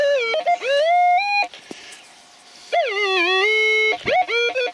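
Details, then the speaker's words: Minelab E-Trac metal detector in a field, no ground balancing, sensitivity turned up: constant warbling, sliding tones with no target under the coil; chatter from excessive sensitivity, worse the higher it goes. "you're listening to that it's just constantly it just constantly goes mad it's just be well it was doing you know what I mean but the more the more you have your sensitivity up the more you have your sensitivity up the worse it's going to get"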